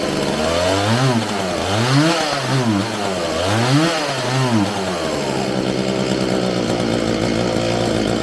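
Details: Homelite 4620C 46cc two-stroke chainsaw after recoil starter fix, carburetor cleaning and new fuel lines, first run: revs up and drops back lazily several times, then settles to steady idle; throttle hesitation before carburetor adjustment.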